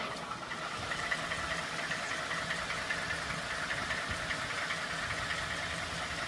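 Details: 2012 Ford F-150 5.0 V8 at idle: light, fairly regular tapping, about two to three knocks a second, over the engine's steady hum; a knock from inside the engine.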